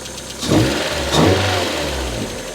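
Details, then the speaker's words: Fire-damaged Mk1 Mazda MX-5 after ECU swap and temporary immobilizer/key change: engine settles into an even idle between two clean rev blips, no knocks or stumbles; runs smoother than before. "now that sounds better that is a smoother"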